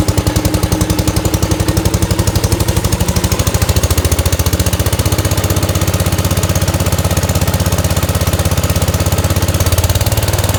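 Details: 1971 Gravely 430 with Onan NB twin, after a Chrysler ignition module fixed weak spark: loud, even, fast pop-pop firing that holds steady with no misses or stumbles; running cleanly and strongly.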